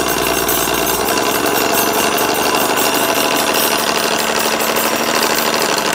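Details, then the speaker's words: Rad Power RadRunner 1 e-bike with Bafang hub motor, started rattling while commuting, no external damage seen: loud, uneven rattling grind about three per second under throttle over the motor whir; hub motor rattle or gear grinding suspected. "So, I mean, yeah, I mean, definitely sounds like a motor thing."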